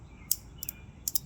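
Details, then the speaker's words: Vintage CRT monitor found in an abandoned house, powered on after brushing dust from the flyback: sharp, irregular snapping crackles, about five in 1.5 seconds over a faint hum; high-voltage arcing at the flyback, less than before, dirt suspected. "I'm gonna turn it back on. It sounds like it's arcing less"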